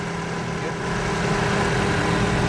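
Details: Toyota Vios gasoline engine after fixing a crank-no-start fault, now starting on one click: smooth, even idle with a steady low hum, no misses, knocks or stumbles; normal idle.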